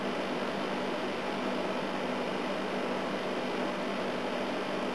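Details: Second A/C unit, running after earlier dry-sounding start attempts: steady even hiss of fan air over a smooth low hum, nothing irregular; set to high fan, works. Coils damaged and jammed into the case.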